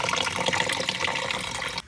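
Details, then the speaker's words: Heating system, after a suspected jammed float/ball valve stopped the tank filling: strong hiss of water rushing into the tank for about two seconds, then cutoff; the valve is feeding normally and the tank level is up again. "pump speeds back up now working fine go upstairs and check that there we go and the tank level is now up as well"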